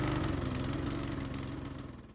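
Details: Discarded Mountfield mower with Briggs & Stratton single-cylinder engine, restored with cleaned fuel tank and primed: steady, even beat with no misses or knocks; running normally, may still need fine tuning.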